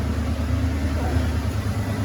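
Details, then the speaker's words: Vehicle idling after the Y-pipe to exhaust manifold gaskets were replaced: low, even rumble with no puffing or ticking, and no exhaust leak felt or heard underneath; repair appears successful, normal idle. "now i really can't feel or hear anything if anything i hear something over there but that's the main exhaust"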